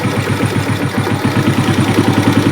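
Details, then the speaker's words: Hot Suzuki Smash that smokes, during carb setting adjustment: rapid uneven putter at idle, unable to hold a steady tickover even after adjustment, so a compression problem is suspected; unstable idle. "Nah, kalau dari setting begini tetap nggak mau stasioner, kurang lah gitu ya. Artinya ini ada faktor di kompresi."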